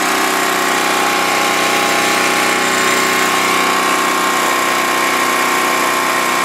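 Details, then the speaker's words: 1988 Snapper mower engine, warm, running steady and even with no misses, surging or knocks after fix-up; still needs choke to start even when warm. "but yeah it runs good I'll crank it up it is warm right now but for some reason you still have to choke it to start it"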